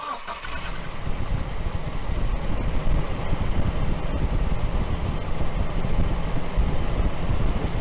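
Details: 2003 Nissan Frontier XE 2.4L four-cylinder that was hard to start when hot after sitting; mic placed close to the engine. Short crank, then it catches and settles into a steady, even idle. Normal start after fuel pressure regulator replacement.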